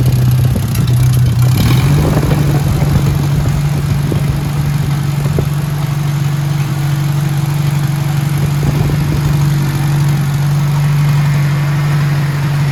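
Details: Hercules Power flathead four-cylinder (tag model ZXB, 2-5/8 x 3) with magneto, restarted on choke after refilling fuel filter: steady, even low drone with smooth regular beat, no knocks or misses; normal running.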